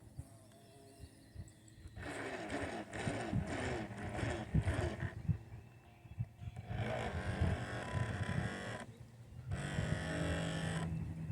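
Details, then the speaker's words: Heng Long Workboat RC boat running on water: loud, strained buzzing motor in throttle bursts of several seconds; the motor sounds labored, working harder than it should, and the boat lists to starboard, cause unclear. "It really just sounds like the motor in that boat is trying way harder, than it should be. It sounds loud. It sounds labored."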